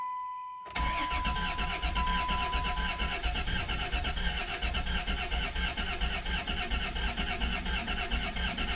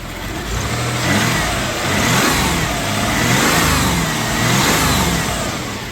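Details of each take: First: 1991 Dodge Caravan with transplanted 3.0 engine, first start after 19+ years, priming: starter chugs evenly about eighty beats a minute for seconds without firing; cranks fine, a little limpy at first, then oil pressure comes up. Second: 1991 Dodge Caravan with transplanted 3.0 engine, first run after 19+ years, burning off fluids, slight exhaust smoke and condensation: engine swells and falls through several smooth revs, slightly hesitant but clean, no knocks or misses.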